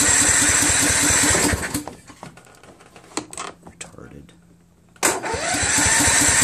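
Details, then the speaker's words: Husqvarna YTH21K46 mower, Kohler Courage 21 HP, new carburetor, magneto now mounted correctly; it starts only with carb spray. Steady cranking in two bursts that never fires. Crank no-start from fuel starvation; faulty carb fuel solenoid suspected. "super odd man well at least we know the magneto is on correctly or is it it's obviously not getting any fuel"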